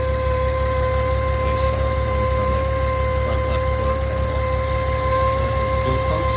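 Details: 2016 VW Touareg V6 at idle: a steady high whine with several clear pitches sits over the low idle rumble in the engine bay; source of the whine unknown.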